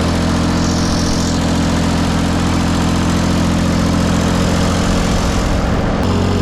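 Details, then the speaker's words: John Deere 355 diesel idling after new water pump install, refilled with 50/50 coolant, cap left open to bleed air; steady even chug with constant low drone, no knocks or squeals; healthy normal idle. "we'll leave this side donger off for now just so we can see in there and I think we're good to fire it up"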